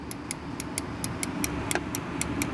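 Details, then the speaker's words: Little Giant VCMA-ULST (554415) condensate pump, secondary safety float switch at high-high level: crisp light clicks about four per second over faint hum as the switch snaps on and off with no hysteresis; normal operation. "can probably hear the clicking there this doesn't seem to have any hysteresis on it and it doesn't need it since all it's doing is turning on or activating the switch at the high high level"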